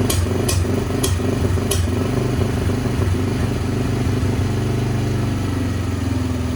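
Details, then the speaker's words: 2007/08 Polaris Outlaw 90 ATV bought left for dead, started on jump box with weak battery: small single starts running high, revs and settles with a few sharp early ticks, then pulls evenly with no misses; sounds healthy. "it sounds pretty good."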